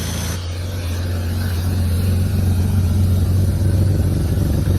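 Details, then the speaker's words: Abandoned E34 BMW 535i, M30 six, sat 12 years, running on starting fluid: deep, smooth, even hum with no knocks, ticks or misses, steady as it settles; nice purr, a little smoky, running very well. "Got a nice little purr to it. A little bit smoky, but then again, hasn't been running for quite a long time. But yeah, she's running very well."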